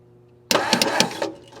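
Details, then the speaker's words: 1959 Meteor left in the bush, short burst of starter cranking under a second, no firing; ignition points not opening and closing. "I crank it over and the points aren't opening and closing. What's up with that?"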